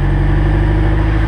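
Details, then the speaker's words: Honda S2000 in first gear with the wheels off the ground, light throttle, after the propeller shaft was replaced with an OEM part: a deep, steady drone with no pops or clunks; the driveline is healthy. "hit the gas a little bit see and if y'all can hear that there's no popping here so that's a good thing"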